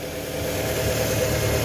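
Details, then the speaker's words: Car engine restarted after the belt driving the accessory pulleys was removed and refitted: even, steady idle with smooth low hum, no whine or rattle; the earlier noise from the worn A/C compressor is gone, normal idle. "prende el carro acelera despacio otro nada más como ven ya no hay ese ruido"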